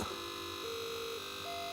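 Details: Atari computer built-in self-test audio, audio cable suspected poor: clean, steady electronic tones stepping up and down in pitch over a faint hiss; audio output working.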